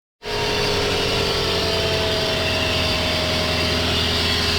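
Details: Lexus LS460 at idle, front of engine: constant whirring hiss and faint tones from worn serpentine belt tensioner and idler pulley bearings, before replacing the tensioner and idlers.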